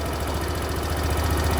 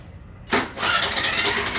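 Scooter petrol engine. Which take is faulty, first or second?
first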